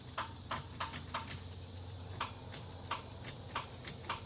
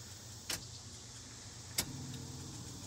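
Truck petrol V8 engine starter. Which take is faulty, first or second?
first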